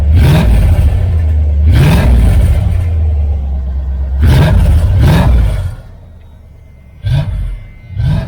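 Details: 1978 Dodge Aspen R/T V8 with the newly welded, leak-free exhaust: a deep, throaty rumble with several quick rev blips that rise and fall cleanly, with no rattles. It is a healthy exhaust note that sounds just like a Chevelle.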